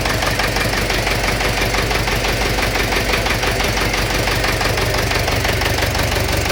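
Sharp metallic knocking, about three per second, riding over a busy revving engine; a knock whose source is unknown.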